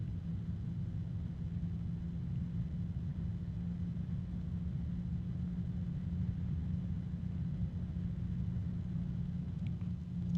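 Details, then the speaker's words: Case fan at maximum speed: steady low whooshing hum with an even drone near 150–200 Hz; somewhat loud but normal, with earlier faint tapping and harmonic resonance noted. "okay so that's maximum speed it is a little bit loud but I would say that mostly you're not going to hear it once it's in the fan um in the case"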